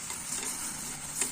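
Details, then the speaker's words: Carbureted engine after hot shutdown (AC off in this test): sharp steady high hiss as fuel sprays from a tapped hose; excess fuel line pressure suspected of wetting the carb and causing long hot starts. "sangat kencang. Nah, udah, ini tekanan sangat tinggi."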